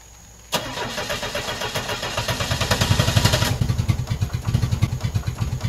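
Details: Car converted to run on woodgas, with the fuel pump relay pulled because the gasoline pump doesn't work. Starter churns about four beats a second for five seconds on a weak battery and never fires. Valve control cables aren't fitted, so the engine cranks but won't start.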